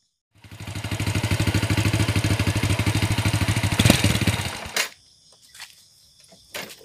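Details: Supra Fit used for hauling palm fruit, smoking badly: rough idle with heavy fast metallic clatter of about three beats a second, stopping at shutdown; badly worn cylinder liner and camshaft.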